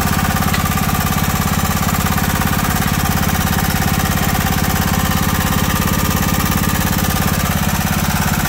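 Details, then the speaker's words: John Deere Sabre mower engine idling; fast, even tapping over the steady idle thump that doesn't quiet after about five minutes of running, lifter tick. "I'm gonna let it sit here run for a little bit guys like that uh I don't think y'all want to sit here listen to a run and uh see if I can get this lifter pick to go away"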